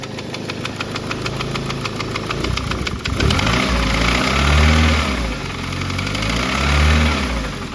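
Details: Big-turbo engine after dyno failure, compression and big ends good: light fast top-end tapping about three and a half per second over rough idle, consistent with a soft hydraulic tappet.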